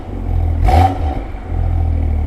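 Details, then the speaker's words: BMW M2 LCI with iPE exhaust and factory valve actuators, cold, after removing three washers from each side: deep steady rumble as the valves cycle open and closed with no rattle; rattle fixed. "Do you want to just cycle them through open and closed? It sounds so good."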